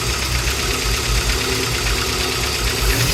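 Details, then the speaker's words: Peugeot Boxer Autosleeper camper van running rough, hunting and cutting out once the auto choke drops: loud steady hiss of air drawn in over a rough, uneven idle; vacuum leak through a hose with a big cut in it. "Hopefully you can hear the amount of air. So it's taking so much air in. It's running quite langu."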